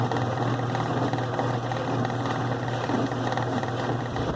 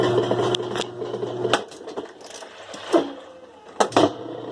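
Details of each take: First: 2005 Kenmore 70 Series direct-drive washer running in slow/delicate mode: a thin high whine and rough hum from the drain pump, suspected dirty inside; the noise stops with the pump removed. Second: 2005 Kenmore 70 Series direct-drive washer running on slow spin with the water pump disconnected: steady low motor hum, a few light clicks, no rattle; the noise is gone, so the pump, likely dirty inside, is the culprit.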